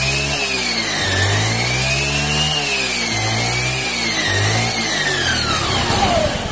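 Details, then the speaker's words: Honda scooter after gearbox rebuild with new bearings and pulley shaft: flute-like whistle over the engine, rising and falling as throttle is blipped, plus whining at start and a dragging rear wheel. "itu ya teman-teman, jadi suaranya itu nyuling. Jadi selain suaranya nyuling, ini rodanya juga seret nih."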